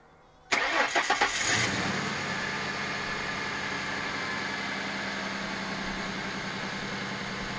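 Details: 1996 SN95 Ford Mustang after replacing sensors, spark plugs and plug leads: a few quick cranking turns, then the engine catches cleanly and settles into a steady, even idle with no misses.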